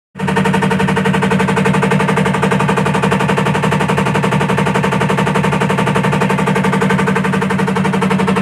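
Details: A top-load washing machine makes a loud, hard rattle about four times a second, steady and unbroken throughout the run; source unclear.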